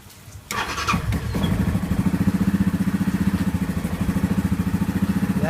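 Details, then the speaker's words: 2015 Yamaha Grizzly ATV (about 20 hours, 100 miles, long sitting) after a new spark plug, with no throttle applied: turns over easily, catches quickly and settles into an even, steady thumping idle without dying out. Healthy start. "Wow, did seem to turn over very easily. It does not seem to be choking out. I have not given it any gas. It is idling."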